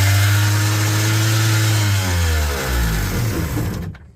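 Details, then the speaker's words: 2001 Kawasaki ZXi 1100 jet ski after fuel line work; loud, steady fast drone well above normal idle, then pitch sags and dies; runaway high idle, suspected air leak at carburetor base or idle set too high. "but this one's also doing a runaway idle let's see if I can show you how that works"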